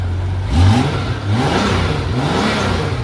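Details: 1994 Honda GL1500 Goldwing Aspencade after aftermarket fuel pump replacement, warm after about 20 minutes running: smooth throttle blips rising and falling cleanly, no misses or knocks; healthy normal warm revving.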